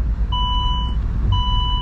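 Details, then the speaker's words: 2007 Saab 9-3 Convertible while driving: two evenly spaced half-second beep bursts over road rumble, the seatbelt reminder chiming for an unfastened belt. "that's not going to stop beeping now"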